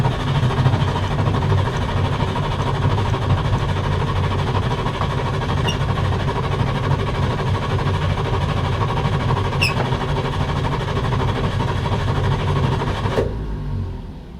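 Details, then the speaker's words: Salvage auction car listed as run and drive, boosted, with fuel seeping from the manual fuel pump: steady starter churn about thirteen seconds that never catches; cranks but won't fire. "Unfortunately, it won't fire up, and you can't really tear into it."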